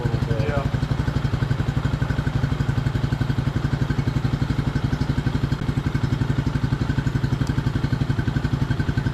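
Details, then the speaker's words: 1999 Suzuki DR200 single, revived after sitting close to a decade, now 796 miles with 40 put on after revival; even low thumping about four beats a second, no knocks, misses or rattles; normal running. "So, we put 40 miles on it. Sounds good."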